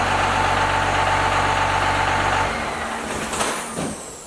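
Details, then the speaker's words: First-gen 12-valve Cummins diesel idling, before valve adjustment: steady rumble with a rapid even valvetrain clatter from valve lash out of adjustment. "because we're going to do like a before and after to see how different and how out of whack these valves are, how much they need to be adjusted."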